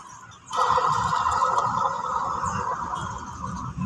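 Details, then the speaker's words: Toyota Fortuner (All New), engine-bay noise loudest at idle. Alternator spun by hand off the belt gives a rough ringing whir that fades slowly: worn alternator bearing, a known weak point. Brushes worn to about 30%, still charging. "เป็นจุดอ่อนของToyotaFortunerAllNewเลยนะครับลูกปืนไดชาร์จนะครับชอบมีปัญหานะครับ"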